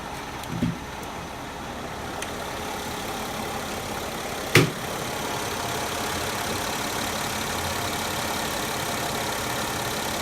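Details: 2000 Mercedes ML320 W163 petrol V6 (M112) idling warm after a drive, after belt/tensioner work at the engine front; steady fairly quiet hum, no belt squeal or clear ticking, quieter than before; normal idle.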